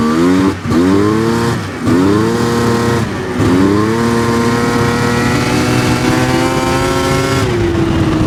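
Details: 1999 Yamaha Vmax 700 triple two-stroke snowmobile bogs on the low end when the throttle opens, then slowly clears and sounds like it's running on three cylinders but still not 100%. The owner is rechecking the center cylinder. Cause unconfirmed.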